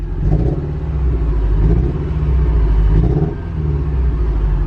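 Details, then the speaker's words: Porsche 944 that had sat for years and would not start, now fixed and given injector cleaner. It idles at about 900 rpm instead of 500, with a deep, steady rumble and no knocks or misses. Oil pressure and temperature are good, with the cooling fan awaited. "great oil pressure idling nicely now good temps as long as the cooling fan comes on any minute now once it crosses over half"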